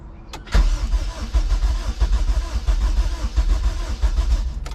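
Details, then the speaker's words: Rebuilt junkyard K24A2 engine in a CRX, first start with the injectors plugged in but no throttle cable connected. Steady starter churning with uneven firing pulses; the engine catches briefly but won't keep running. "so i can't step on the throttle because i don't have a throttle cable but we kind of heard a little glimpse of it"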